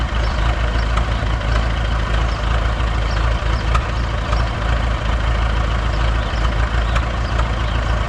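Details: Buda D175 diesel forklift engine, never rebuilt, fuel pump fixed, after a week on B100 biodiesel: low steady idle clatter with even beats, no dropouts; the previous cold, no-load miss is gone.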